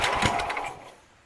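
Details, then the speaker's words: Sears Suburban SS12 garden tractor, believed 1970, after new carburetor float, running near half to full throttle: short burst of uneven rapid putter that fades; it fires and runs. "not bad not bad for a carburetor with a greased spinning stuck in it"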